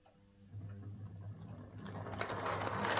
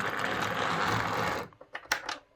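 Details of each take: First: Model locomotive motor on a Morley Vector Zero Three Crawler controller instead of a Hornby HM2000, whose PWM caused buzz and grinding: soft whir with light gear ticking building in speed, quieter, no harsh grinding. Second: Model locomotive on a Hornby HM2000 controller doing a slow pull-away: a coarse, rattly buzz with grinding for about 1.5 s, then light clicks as it stops, caused by the controller's PWM.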